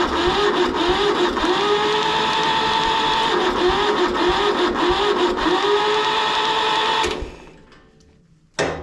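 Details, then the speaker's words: Kubota L175 two-cylinder diesel tractor cranking with the decompression engaged: a fast, even starter churn with no compression thumps for about seven seconds, then cut off. "You know, you run them up with the decompression engaged. But anyway, I'll show you what's going on here. So, here's the crank with the decompression in."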